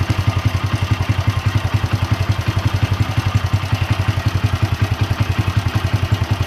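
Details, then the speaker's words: Honda Win motorcycle at idle: a loose metallic clatter about three to four beats a second over the thump, clearly the cam chain (keteng), not the finer kricik of valves; the engine is torn down to replace the chain. "Untuk bunyinya ini jelas banget si keteng ya, karena bunyinya gitu seperti itu."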